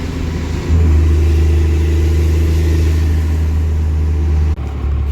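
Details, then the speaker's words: Truck "Otis" cruising warm with the torque converter locked, giving a deep, steady drone with no slip flare or surge; the engine sounds very healthy and the transmission holds power. "It's a very healthy running engine. Alright, here we go. Torque converter is locked."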